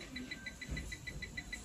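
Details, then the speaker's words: Huipuna 5-litre 900W electric pressure cooker that will not heat: display light flashing and rotating, no response to any key, with rapid steady high fault beeping about six or seven a second; cause still unknown. "显示屏呢，这个灯一闪一闪的啊，在转，然后按什么键都没有反应。大家来放近点看，听一下这个声音，还带有这个滴滴滴响啊"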